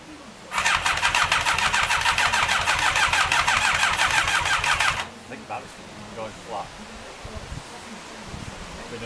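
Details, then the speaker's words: Rebuilt Thunderace engine first start attempt: steady starter chatter at about three pulses a second for four seconds, never catches; battery going flat and some backfire, suspected, not confirmed. "I think the battery's going flat which is a bastard because all right the battery's definitely going flat and we're getting a bit of a backfire as well"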